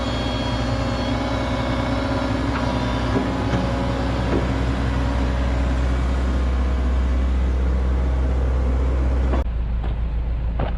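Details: Komatsu PC130-6 excavator diesel idling after fuel tank replacement, refuel and hand-pump priming: steady, even low thrum with no knocks or misses, settling smoothly before shutoff; it is purring, running as it should.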